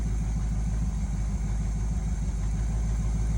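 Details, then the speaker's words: 1971 Chevy C10 V8, just started after sitting since about 2013, new spark plugs: deep even idle rumble at constant level, no ticking or misfire; sounds pretty good, small gas leak and slight smoke noted. "She actually sounds pretty good."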